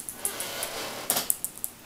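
Small, light plastic clicks and ticks come irregularly as the device is handled; the loose buttons are rattling in their housing.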